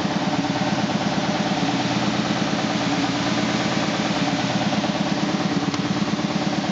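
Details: 2000 SCMI Sandya 3 37-inch wide belt sander running on soft start: steady motor roar with regular thump about twice a second from a raised taped seam in the sanding belt paper, not a machine defect.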